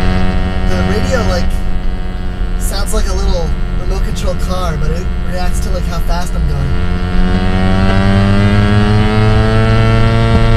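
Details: Car AM radio tuned to 1330: thin toy-car-like whine over the radio, climbing in pitch as the car speeds up; engine-speed interference, source unknown.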